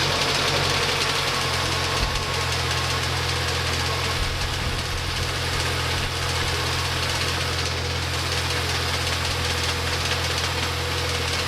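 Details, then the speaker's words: MINI Cooper petrol engine started after refitting fuel rail cover: steady idle with loose metallic rattle following engine speed, owner attributes it to a slack timing chain slapping, repair still pending. "I'm now going to start the engine just to hear that timing chain slap around as a reminder that I need to mend this Mini pretty soon."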